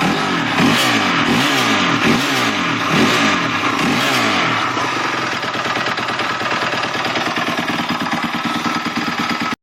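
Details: 250X dirt bike engine, started suddenly during a ride yesterday: blipped then held at mid revs, a harsh, rattly clatter over the exhaust note; cause unknown, owner asking for ideas.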